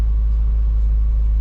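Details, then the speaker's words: Truck with rebuilt transmission, idle set screw adjusted slightly higher after getting it running: steady, even low rumble at raised idle with no misses, knocks or surging; normal idle. "I adjusted it the other day after getting this truck running I adjusted that idle set screw and so it's a little a little stronger than before"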